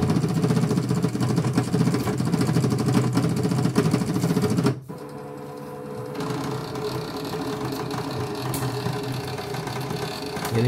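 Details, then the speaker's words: Infinity VG 001 portable embroidery machine with blank screen and unresponsive touchscreen: uneven mechanical chatter as the hoop carriage shuttles back and forth without homing. "mesinnya tidak mau ya, dia lari ke sana dan lari ke sini terus, dan ini blank total."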